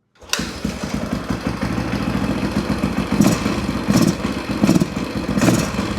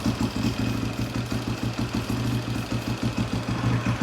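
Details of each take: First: Husaberg 350 dirt bike, carb-to-airbox boot sealed, freshly started: uneven single-cylinder idle that stumbles, especially on throttle. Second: Husaberg 350 dirt bike after sealing the carb-to-airbox boot: steady single-cylinder idle with an even beat, unchanged when carb cleaner sprayed around the boot; no air leak.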